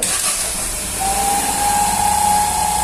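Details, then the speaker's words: 2020 Fiat Argo idling in the workshop, heard up close at the engine: steady idle with a thin, constant-pitch high whistle and hiss, a vacuum leak from a torn diaphragm, fixed by removing the cover and replacing the diaphragm. "Só o diafragmazinho, gente, ó, rasgado, ó. Esse barulhozinho."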